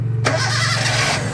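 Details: Toyota gasoline engine after main/ground cable returned to original position, previously hard starting: brief starter whirr, engine catches almost instantly in one click and settles into an even idle, a clean start.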